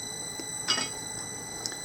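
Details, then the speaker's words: Printmaking mechanical press with replacement electric motor and electronic speed controller, at its usual running speed: steady high motor whine with occasional soft click, running smoothly. "But yeah, a mechanical press. And this is about the speed I run it. I find this particular press pretty dangerous."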